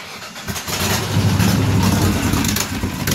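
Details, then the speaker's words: 2005 Ford Taurus 3.0 idling with the O2 sensor removed to test for a plugged catalytic converter: uneven, lumpy, stumbling exhaust beat and a persistent idle miss remain, so the cat is likely not the cause; fuel suspected. "We want to know if it has a miss at the idle, and when we rev it up and hold it at about 1500 RPMs, does it jerk up and down like there's back pressure on the exhaust or cat?"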